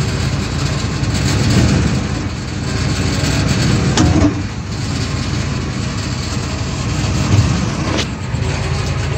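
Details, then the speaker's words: 2002 Ford F150 SuperCrew shifted back and forth between gears while holding the brake, phone under the rear of the driveshaft: a steady engine drone with two sharp clunks about four seconds apart. Bad rear U-joint confirmed. "So, that's it. So, we have a bad U-jint on the back of this truck. So, not a big deal to fix."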